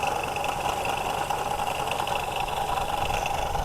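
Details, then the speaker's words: 1973 Pontiac LeMans V8 idling after first start, no coolant, oil light out: light uneven rattle at the front from the loose, wobbly water pump pulley over a smooth base; engine not knocking. "Yeah, the noise is from the front pulley of the water pump that is loose. So, the engine is not knocking at all. Nice and smooth."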